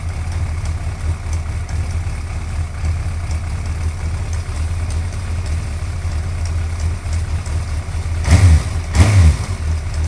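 Steady low idle with a light, loose tick riding on top, slightly uneven at roughly one per second; a top-end tick of unknown cause.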